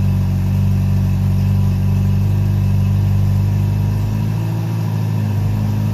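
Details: Honda CB700SC Nighthawk four-cylinder, carbs cleaned (clogged pilots, wouldn't run without choke after sitting), drained old gas, fresh non-ethanol fuel, 4-into-1 exhaust, no airbox, throttle cables unhooked: deep even burble at steady idle, no misses, ticks or knocks; normal.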